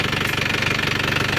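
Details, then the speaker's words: Isuzu Panther turbo diesel pickup with injection pump timing reset to standard, at idle: rough, rapid uneven knocking pulse; faulty one-way valve, replacement recommended. "suara agak kasar ini ada masalah di valbnya"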